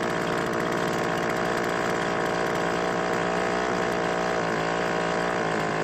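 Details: Craftsman two-stroke leaf blower after replacing the bad ignition coil that caused no spark. Continuous buzzy two-stroke note holding even revs without stumbling; normal running.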